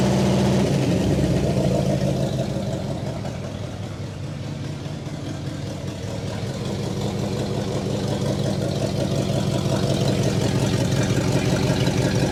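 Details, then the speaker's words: 1960 Pontiac Catalina 389 V8, first run after sitting since 1985, fed from a boat tank: steady, even low rumble with a smooth, regular beat, no misses or knocks; idling cleanly, no fuel leaks. "there we go she's idling no fuel [Music] leaks exhaust sounds pretty good"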